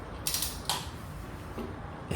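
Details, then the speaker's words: Chevy 307 small block from a 1956 Bel Air, locked up on a test drive, turned by hand at the bolt: slow creaks and ratchet clicks, then a sharp clunk as it deadlocks near number six top dead center. "boom, it hits again. Oh, I mean it deadlocks right there."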